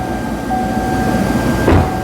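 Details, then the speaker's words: 2014 GM truck 5.3 V8 with an intermittent stumbling complaint, checked via misfire counters; steady even idle rumble with no stumble; running fine now, though cylinder 7 logged a couple of misfires in recent drive cycles; normal idle. "See if any of the cylinders record any misfires when I fire it up. I doubt it. No, it's running fine."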